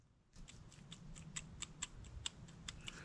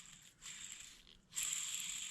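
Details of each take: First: Argo amphibious vehicle bearing, dust covers and seals pried off, rocked by hand on the bench: faint irregular little clicks reveal slight play in the worn bearing. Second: Argo ATV UC207-20 style bearing with dust covers and seals pried off, no grease, spun by hand: light even hiss rising with each spin, no grinding or clicking, slight play felt; runs smoothly.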